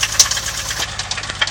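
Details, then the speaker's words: BMW E30 with M20B25 engine idling, recorded from outside the car, running rich after DME reset with M50 injectors: uneven sharp metallic rattle over the steady hum; suspected bottom-end knock, not confirmed. "here's just another shot from outside of the car you can hear something rattling in the bottom end"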